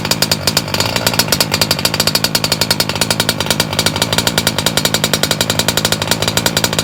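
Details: MTXL with a BR motor recase on its second break-in heat run, low speed leaned slightly, in rainy, drizzly weather; a rapid, even two-stroke buzz with no misses or sagging, rich but healthy.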